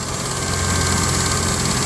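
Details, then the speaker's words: 1995 Ford F-150 with the 300 engine at idle, AC on: rapid, loud, even clicking over a steady idle that stops when the compressor is turned off; the AC compressor or its clutch is the likely source. "i have a problem never i turn on the ac compressor well when it's idling it idles okay it needs a little work but it idles fine but when i turn on the ac compressor it clicks"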